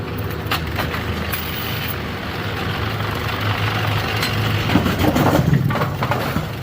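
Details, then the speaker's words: Machine run through cycles while chasing a 17.5 pin turret indexing issue: rough grinding churn with irregular sharp pops, a "poppy grindy" sound. Source near the pin handling is unknown and cause not confirmed; the machine later stopped early. "fails oh whoa something over here made a a poppy grindy [Applause] sound I don't know it's startle D for sure"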